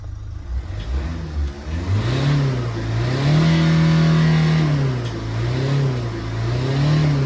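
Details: Toyota Etios diesel with low pickup, after cleaning the blocked boost pressure sensor filter and the carbon-clogged EGR and throttle body and refitting them. Boost pressure is checked as it revs up smoothly in repeated blips, pitch rising and falling evenly, with no knocks; normal revving.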